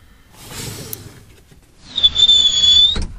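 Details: Subaru WRX seatbelt squeak: a sharp, high squeal for about a second as the belt is pulled out on getting in, from webbing rubbing the trim; a common Subaru issue.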